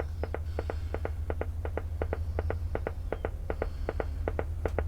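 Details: Briton (Philips-made) valve radio under restoration on dim bulb, output valve fitted: slow regular putt-putt pops over steady mains hum, unaffected by tuning; slow motorboating, cause unknown.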